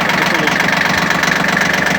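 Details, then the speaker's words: Shibaura P17F 17 hp diesel mini tractor, 747 hours, glow plugs heated, cool outdoors, tiller engaged: steady even diesel beat pulling load cleanly, no knocks or rattles; engine smooth, no extra noises, normal under load. "Отлично Отлично работает двигатель ровно четко без лишних Шумов каких-то"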